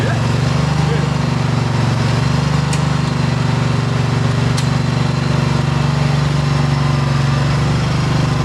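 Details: 2008 John Deere EZtrak Z425 zero-turn mower, 23 hp Briggs engine, 54 in deck, running after fresh plugs, new battery and fuel filter and old gas drained: even, steady low drone with no misses or knocks, running smoothly and healthy.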